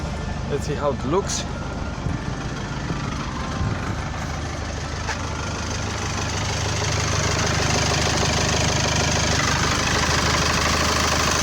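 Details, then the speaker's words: 2004 Mercedes Sprinter 2.2 CDI diesel idling after replacing dual mass flywheel and clutch: steady deep even clatter and low hum, no longer the earlier rattle from underneath in neutral; noisy but less hollow, a little bass. "It is noisy, but the noise is not so empty as it was before. Has a little bass on it."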